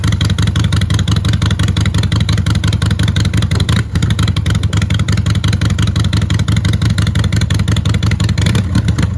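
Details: Harley-Davidson after exhaust pipe repair, test fire: fires and holds loping, fairly even beat about three pulses per second, no rattle; exhaust pipe sealing.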